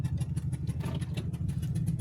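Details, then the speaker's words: Motorhome engine while driving through Minnesota: fast, steady ticking over the engine rumble, like a spark plug blown loose from its thread, with plugs only about 4 months and 4,000 miles old; the same sound occurred before in Atlanta. "As the afternoon sun began to set and the Great Plains stretched across Minnesota, we heard an all too familiar sound coming from our engine. Sounds like a spark plug."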